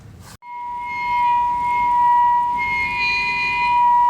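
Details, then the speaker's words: Trane rooftop gas unit on a thermostat service call: a steady, very loud howl near 1 kHz with a fainter upper whistle from the combustion blower, caused by slightly off gas pressure; adjusting the gas pressure quieted it. "Well, that's interesting. Very loud howling noise coming from this combustion blower."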